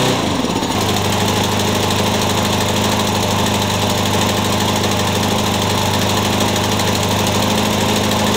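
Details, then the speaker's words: Troy-Bilt TB360 mower with aftermarket carburetor from China: single-cylinder beats unevenly with hunting, chugging rhythm; engine surging, owner blames the aftermarket carburetor. "so I think you could probably hear this thing chugging I'm not impressed with this aftermarket carburetor"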